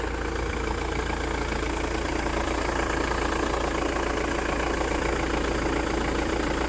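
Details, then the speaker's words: Mk6 Ford Transit Luton diesel van that stalled at idle, after repair and battery reconnected; five minutes idling without cutting out, steady even diesel clatter, no dips, hunting or stalling: normal idle, fixed. "off still not turning [Applause] off did we fix it right it's been 5 minutes of idling it's definitely working it's on"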